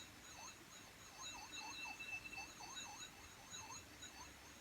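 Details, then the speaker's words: 1983 Pioneer CT-540 cassette deck playing a 3000 Hz test tone: pitch wobbles up and down several times a second instead of holding steady, severe wow and flutter. "And as you know, this should be a constant 3000 Hertz tone, and that is terrible."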